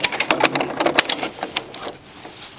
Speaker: guys what we have is an empty bobin you'll see it's not completely empty but as it Unwound its last few inches the tail on the thread on the end of the bobin came undone and got tangled up in there